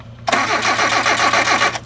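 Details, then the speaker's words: Hyundai cold start: steady starter cranking for about a second and a half with no firing; not going to fast idle or getting a rich shot of gas when cold, fires with sprayed gas; owner unsure which part causes it; lean cold-start mixture. "no yep it wants that shot of gas so so if I take the bottle of gas and spray it in it's going to crank right up"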